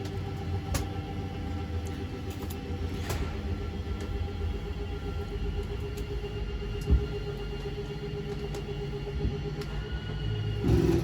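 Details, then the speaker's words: 2021 Wildwood 353FLFB travel trailer, rear bedroom slide extending: a steady low motor hum, then brief ratcheting when the slide is fully out, which is normal. "Right here, it's going to push this slide, and same thing, once it starts ratcheting, you know it's out all the way."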